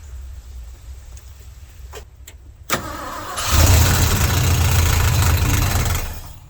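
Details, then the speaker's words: 1971 Ford F100 FE 360 V8, abandoned 39 years, running with fuel filter hose disconnected: short crank, then runs with a quick regular slapping about three per second from the cooling fan hitting a broken fan shroud. "that noise you heard is a fan hitting this broke fan Trail"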